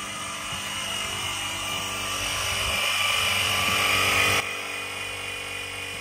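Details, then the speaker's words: Air Lift Wireless One onboard compressor with Ultimate 5000 air bags on a Ram 1500 (2009-2024 coil-spring rear) kicks on after app pairing, raising from 20 toward 25 psi: steady high buzzing motor hum about four seconds, then drops away; normal operation. "okay so now you can hear the compressor kicked"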